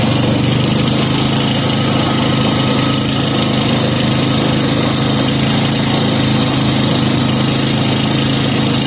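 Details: 5hp Briggs and Stratton single-cylinder with gear reduction, running to warm oil after mixture adjustment: steady even buzz, no surging or misses, holds speed cleanly; normal running.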